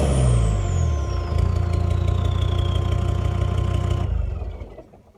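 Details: Land Rover Discovery 2 TD5 diesel, warm, misfiring at 1250–1750 rpm: uneven stumbling beat of about four dips a second, then cuts out; grey smoke suggests fuelling issue, oil-fouled injector harness already replaced.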